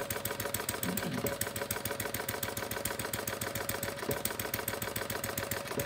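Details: Homemade single-cylinder gas engine built from plumbing parts (about .875" bore, 1.5" stroke, 7" flywheel, capacitive discharge ignition, battery powered) running at steady speed after mixture adjustment: quick, even firing beats, no skips, running cleanly.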